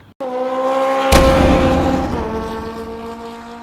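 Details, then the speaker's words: Carbureted motorcycle stored for 3 years, started on an external battery after the carbs were cleaned/changed and fresh fuel added. It catches and settles into a steady even run with clear firing and a brief rev, no misfire. It starts and stops fine. "Well guys, the bike is ready. I finished changing the carbs. It is pretty much, it starts, it stops."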